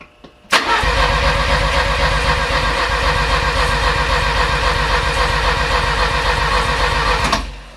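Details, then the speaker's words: Porsche 924 with freshly rebuilt engine, fuel pump running and fuel present: the starter turns the engine at about four compression pulses a second for seven seconds but it never fires; cranks but won't start. "my question is why isn't it firing if I'm telling it it's got gas it's got gas now right air coming through"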